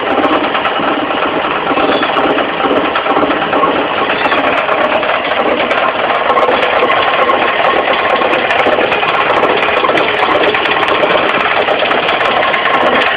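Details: Mitsubishi 4G15 carburetor engine at idle: light, fast knock low at the front from the loose crankshaft pulley; fixed by tightening the pulley, not replacing it.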